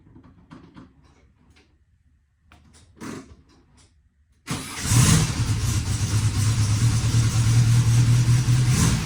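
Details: 1965 Volkswagen Beetle air-cooled flat-four after complete mechanical, fuel and brake overhaul: engine catches at once and settles into a steady, even, low idle with no knocks or misses; healthy.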